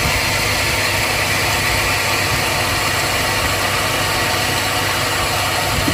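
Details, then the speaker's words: 2002 Chevy Silverado Vortec V8 gas engine, hot: a harsh, gritty, even rasp over the idle that doesn't change; engine grinding noise, owner suspects a bearing, not confirmed. "the engine has a grinding noise i don't know why but it happened"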